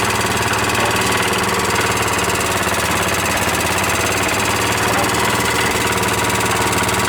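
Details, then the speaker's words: Newly fitted single-cylinder engine on a cement mixer, just started on choke: loud, steady even chugging with no knock or miss; owner suspects too much oil in the air filter, blowing oil when revved. Normal running. "Oh yeah! Yeah! Man, it sounds good. Yeah! God, that sounds good. That's awesome!"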